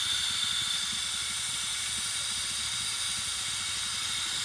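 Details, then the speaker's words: 1991 Pontiac Firebird Trans Am that overheated: a loud, steady high-pitched hiss with barely any engine note as pressurised coolant escapes from the hose at the 15-year-old water pump, which gets replaced. "Oh, it's coming from the hose. It's coming from a hose down there."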